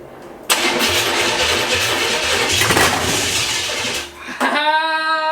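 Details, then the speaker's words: CJ-7 Jeep with Vortec 5.7 350 V8 swap, sat nearly 20 years, rewired harness and new fuel system: long cranking then fires briefly on starter fluid with throttle, showing ignition and mechanicals work; fuel delivery suspected. "Because it started on starter fluid, which is really good."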